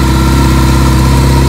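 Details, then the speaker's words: 1982 Kawasaki KZ1000 CSR, 7,884 miles, cold start at about 5 degrees on choke, with rebuilt carbs, new oil, filter and plugs: smooth, even low idle, no knocks, smoke or noise. Charging at 14.6 V. Normal cold idle. "But there's no engine smoke. There's no engine noise. We just changed the oil in it, the filter. Got new plugs in it. It sounds really, really, really good."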